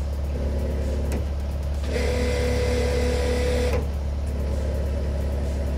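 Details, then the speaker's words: Skid steer mower attachment's hydraulic motor on continuous-flow hydraulics, tested before refitting the rebuilt right-angle gearbox: even mid-pitched whine holds about two seconds then stops over engine drone; nothing bad heard, normal hydraulic motor run. "okay so i think that one well i didn't hear anything that sounded bad so i'm just going to disconnect it just in case there's any pressure in it"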